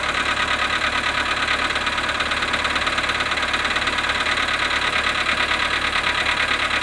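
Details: VW Polo sedan, cold start at -7.5 °C after sitting 12 hours: cold idle with a steady, fast light knocking, about three per second, over the engine's even hum. Cold start engine knock.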